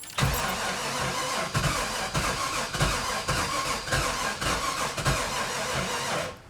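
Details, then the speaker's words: 1996 Sea Ray 260 carbureted big-block boat engine after years sitting, throttle pumped, water on: starter cranks with uneven chuffs and odd pops but never runs; ignition timing suspected off, corrosion seen. "yep doesn't sound right is the water on oh yeah ready yep it sounds like it wants to start"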